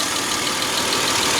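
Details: Dodge Nitro after misfire repair: rebuilt head, new head gasket, intake plenum gaskets, belts, water pump gaskets, timing belt and tensioner; no fan installed, not yet revved: even, steady idle hum with no skips or knocks; runs cleanly.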